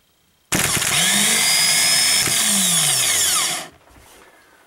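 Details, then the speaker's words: 2000 Subaru Outback new starter spun free on the bench with no load: a clean, even whir spins up fast, holds about three seconds and winds down smoothly. The old starter sounded gritty; the no-start was ultimately a dead short inside the battery. "Well, it sounds better. Sounds smooth. The other one sounded gritty."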